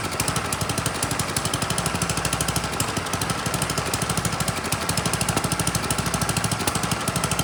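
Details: Troy-Bilt Storm 10030 snowblower, Tecumseh HMSK105 engine, long neglected, started with starting fluid: quick, even single-cylinder beat around three a second with steady pitch, no misses, choke off; normal running.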